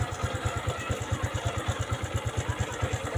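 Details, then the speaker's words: Honda Supra X125 FI single-cylinder after fixing compression loss (rocker arms reinstalled correctly), started on electric starter: firm, evenly spaced putt-putt idle, about eight beats a second, no skips; runs smoothly. "Sekarang, cukup tekan sekali dan akan mulai. Suaranya juga halus."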